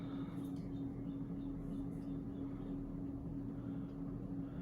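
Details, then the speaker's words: 52-inch Emerson 1895 Series polished-brass ceiling fan on high speed: steady even whoosh of air with a very slight motor whine, powerful and well balanced, no wobble. "there's high you can hear a very slight motor wine very powerful fan very well balanced"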